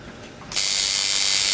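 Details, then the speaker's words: Coil tattoo liner machine with contact gap set right at a dime thickness: click, then bright, steady, high, crisp buzz; well-tuned liner running. "Even better. Yep. Right at a dime."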